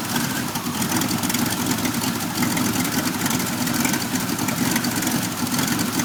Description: Here is a video of my 1991 Firebird v6 that is now able to start and idle but the idle is very rough and I am still getting codes 33 and 43.